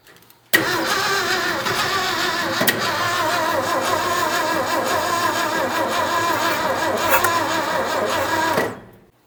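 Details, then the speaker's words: 1967 Ford F-100 240 inline-six with 3-on-the-tree manual, first start after long storage: newly installed carburetor, distributor and plug wires, electric fuel pump feeding from a gas can; long uneven cranking with ragged sputtering firing that catches but doesn't settle into clean idle. "We got something here. Okay, we've got action. All right, let's hit it again. See if it'll run."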